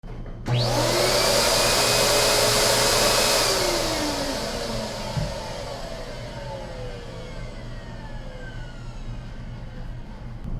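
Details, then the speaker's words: MD Silent Master central vacuum before sound-deadening install: high airy motor whir with steady whine, pitch sagging as it winds down; stock motor running normally but not quiet. "well sometimes the silent master isn't quite silent"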